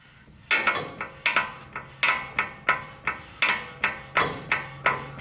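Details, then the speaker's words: 2005 Toyota Tacoma Pre-Runner SR5 2WD: sharp, ringing metal clacks at an uneven pace as the brake pads rattle inside the caliper, with the anti-rattle spring missing on one side and broken on the driver's side. "toyota calls it anti-rattle do you hear that these are actually the brake pads rattling inside of that caliper"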